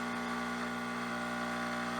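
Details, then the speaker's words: Espresso machine test shot of Mayorga Cafe Cubano organic dark roast, 92°C: steady low pump buzz at one pitch, 9.8–9.9 bar, nothing comes out; puck choked, grind must go even coarser. "still nothing comes out very so we know we need to adjust the grind size even corset"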